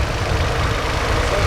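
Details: Car idling in Toronto right after new battery installed during DIY maintenance: low, steady idle rumble without misses or surging, engine running evenly after starting.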